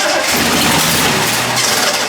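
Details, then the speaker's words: Triumph TR6 restoration, first start attempt: the engine cranks hard and nearly catches, with pops breaking through the starter churn; ignition timing is suspected as the cause of the popping back, and the distributor is being turned to adjust it. "I'm thinking maybe half the problem is that's why that's why that's that's popping back like that"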